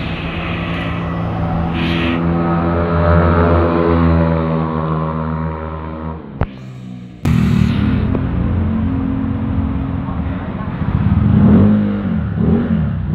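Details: Honda Vario 125 scooter with KZR/KJR SPC 59 engine work, road-tested under load with ECU mapping unchanged after curing high-compression pinging (ngelitik): revs climb and fall smoothly with no rattle or ping on acceleration; pinging is gone and power fills in.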